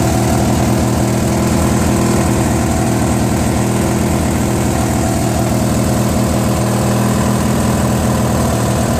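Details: Free Briggs & Stratton 16 hp opposed twin on a Murray garden tractor: loud, lumpy, surging run that improves with choke; the carburetor is apparently missing its Welsh plug, leaking air.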